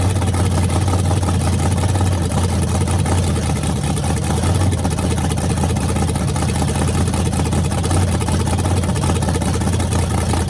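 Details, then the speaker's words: Rebuilt small block Chevy 350 V8 with headers, on a homemade run stand with a fan cooling the radiator: deep, steady rumble with an even beat and no knocks or ticks. Runs clean and healthy. "looking good and this thing sounds mean as can be so I'm just excited to uh be able to let you guys hear it"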